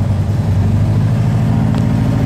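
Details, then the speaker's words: BMW 600 Limo, two-cylinder air-cooled boxer with a side-draft carburetor, started for the first time after sitting for a long time, with all fuel lines replaced: a steady, even low chug at idle with no misses or knocks. "it's running now it's kind of bad luck I had to replace all the fuel lines"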